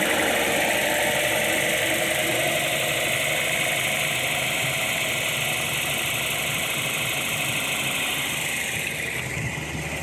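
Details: 1977 Datsun 280Z L28 engine, off the road since 2010 and still on 2010 fuel, fired right up after a battery was fitted: steady busy running holds for several seconds, then sags and softens as the engine starts to die.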